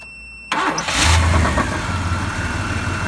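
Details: Vehicle started using Autowit Supercap 2 supercapacitor jump starter charged from a dead battery: high beep, short crank, engine fires immediately, revs and settles to steady idle; normal start.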